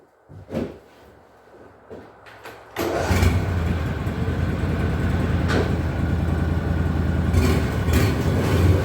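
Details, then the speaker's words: Argo 6x6 with 16 hp Briggs & Stratton V-twin, after carburetor cleaning for idle surging: cranks, catches and settles into a steady, even run with no hunting or surging. Fixed. "well that's about 110 better than it was no surging at all"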